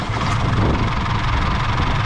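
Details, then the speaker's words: Isuzu D-Max diesel after trouble climbing a hill: heavy clatter, low unsteady rough idle; owner suspects dropped injector, white smoke on revving. "Anyway, looks like she's dropped an injector, so anyway, fire up Emma, we'll see what, show you what she sounds like. She's running pretty rough."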